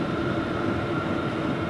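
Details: New Vevor diesel heater on setting 6, about 400 degrees (399) at the outlet tube: steady even whir with a constant mid-pitched hum, no surging or knocking; running cleanly at full output.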